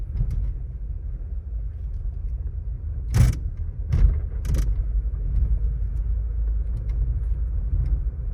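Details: Volkswagen Taigun GT Plus (DSG) driving on the road: steady road rumble with sharp, irregular ticks and rattles from the dashboard, which the authorized service center could not fix; exact source not pinned down.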